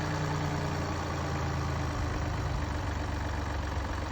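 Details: Mini Cooper D three-cylinder diesel at low idle: loose, uneven rumble with a slight rattling undertone from a broken dual mass flywheel, which holds the clutch springs and fails through wear and tear; juddering after lifting the clutch is described.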